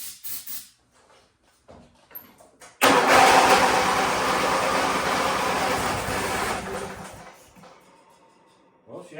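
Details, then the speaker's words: Wheel Horse GT-1600 WorkHorse with Briggs engine, long weathered, on ether at full throttle: cranks, runs ragged and hissing a few seconds then dies; fires briefly then dies, suspected fuel not reaching it or bad carburetor. "like she wanted to fire well she fired rain for a second off ether we're just not getting gas to it I don't think either that or that carburetor is messed up"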